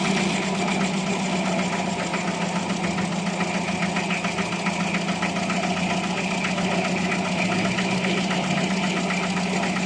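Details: Carbureted project-car engine idling after a full carburetor service to fix rough idle and hesitation: even, steady pulse without stumbles, not perfect but more stable, with better throttle response.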